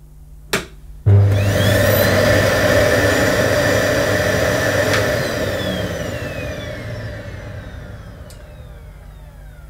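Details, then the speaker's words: Electrolux Ergobox 2000 W bagless vacuum cleaner with new filter, running on low power: motor snaps on after a delay (possibly soft start) and settles into a steady, smooth, quiet whir, no rattles or scraping; healthy motor. "that sounds very good very quiet obviously it's on low power it didn't switch on initially"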